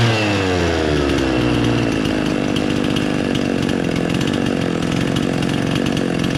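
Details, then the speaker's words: Husqvarna 50 chainsaw running with head bolts deliberately loosened to create a vacuum air leak; idle goes from good to an uneven, hunting, unmanageable idle that can't be adjusted out with the carburetor. "did you hear how this all went from Eiling good to just unmanageable you could not adjust that out"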